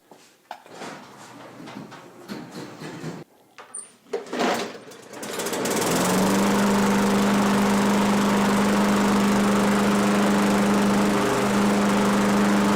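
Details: Craftsman push mower: handling clatter, then it catches and settles into a steady, even drone with constant pitch; running smoothly, though spark plug may still need attention.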